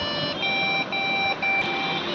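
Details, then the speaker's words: Lenovo branded desktop PC at power-on with no display: shrill high beeps repeating about every half second with brief gaps, a RAM fault POST beep code; replacing the CMOS battery did not fix it. "Hello दोस्तों, क्या आपके पास भी Lenovo का branded PC है जिसे power on करने पर यह कुछ इस तरह से बीप साउंड शो करता है?"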